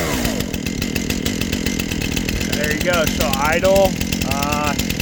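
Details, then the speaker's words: STIHL MS 271 Farm Boss two-stroke chainsaw, warm after choke start: steady, slightly uneven burbling idle with no stalling or surging; normal idle. "that she's warm, that was pretty easy to start, but I've started it probably 100+ times."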